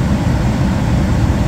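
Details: Gas furnace that was blowing cold air, after resetting the L160 (160°F) limit switch: steady even low rumble of burner and blower, no surging or cycling, no blinking light; furnace running normally.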